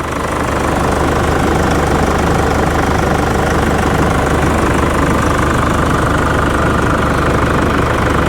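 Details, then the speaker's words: Used Nissan Navara pickup, diesel: steady, even idle with low drone and light injector clatter, no misses or knocks; a slight rattle is suspected to be a heat shield; engine sounds healthy. "Sounds quite sweet though, the engine."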